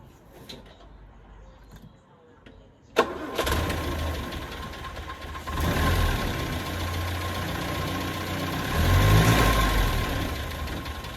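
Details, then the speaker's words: Land Rover Series 1 that wouldn't start, after its SU fuel pump was cleaned of years of sludge and reinstalled: it catches at three seconds and runs steadily with small throttle swells, where before it would stall. Normal start and idle, no leaks. "There's no leaks, everything seems to be okay, and before now the engine would have stalled, so it's already running better than it was before I started."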